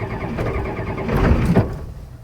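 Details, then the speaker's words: Ford OBS one-ton dually 7.3L IDI diesel, sat unused three years, cold start at about 50°F after glow plugs cycle (mismatched glow plugs): uneven cranking with a few ragged firing bursts, then dies without catching. "1. That did not sound good. My son said I scared him."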